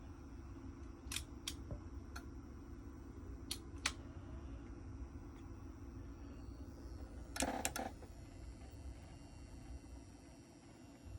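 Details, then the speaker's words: Otari MX-5050 tape recorder after heating, then removing heat from, the speed sensor (wires resoldered): sharp relay clicks in uneven bursts over a motor hum that hunts and then speeds up; faulty speed sensor confirmed. "You can hear the relay clicking and the motor. Yeah. There goes the relay going nuts. And now it just speeds up."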